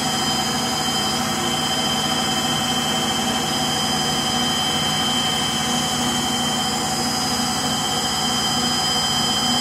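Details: Frigidaire Gallery front-load washer, model GLTF1670AS1, during final high-speed spin: loud jet-like roar with a hissing high end and no letup, likened to a Pratt & Whitney JT8D engine on an MD-88; bad bearings, labelled as motor bearings.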